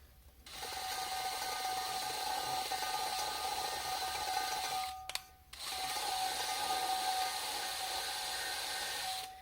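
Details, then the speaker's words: Triumph TR7 cylinder head rebuild, lapping the number two inlet valve after hours of grinding: gritty, rasping two-stroke grinding with paste that is starting to sound smoother, but the seat is not yet fully bedded. "and you can actually hear the grinding so there you can hear how it's now gone smooth although it hasn't really"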